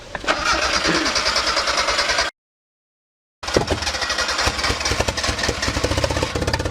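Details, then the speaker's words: Turbo Mazda Miata started on jump pack: engine catches and stumbles with uneven, lumpy firing, cuts out, then restarts ragged and won't hold idle; spark plugs found soaked and black, owner plans plug change. Rough running and stalling, cause suspected. "all right so she runs runs real bad but she does run she doesn't like to stay running no so we're gonna change those plugs and then see if that'll help this thing actually run for good"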